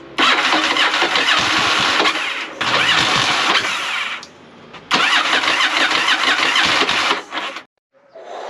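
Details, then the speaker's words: 1983 Yamaha XV750 bought non-running, fresh fuel primed into bowl: long cranking bursts with brief catches that die straight away; fires and runs a second, owner suspects it is flooding with too much fuel. "we have signs of life we've had it um firing a couple times and it kind of ran for a second a couple times so we're getting close now"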